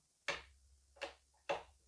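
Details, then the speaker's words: Sewing machine bobbin case: three small sharp clicks as it locks into the hook, confirming it is seated correctly; loose seating causes noise. Bobbin case latched correctly. "Quando você ouvir esse barulho significa que ela encaixou ela precisa fazer esse barulho"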